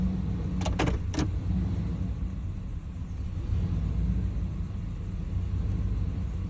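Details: 350 TBI engine that idles rough and dies in gear despite replaced EGR valve, plugs, wires and fuel filter: low, uneven idle with unsteady beat after a key jingle; cause unknown. Rough idle.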